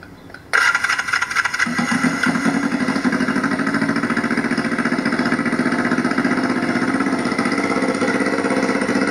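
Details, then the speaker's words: Yamaha motorcycle running 100% on propane fed through the carburettor idle air circuit, gasoline line disconnected; starter catches after half a second then even, steady idle with no stumbling; normal idle. "So this is a 100% propane powered motorcycle at the moment. And just so you can hear it run."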